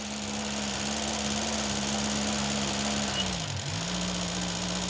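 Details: Vauxhall Chevette barn find abandoned over 10 years, carb fed from a petrol bottle; engine catches, holds fairly steady idle, briefly sags and recovers, no clear knock, condition still unknown, oil coming: rough running after long storage.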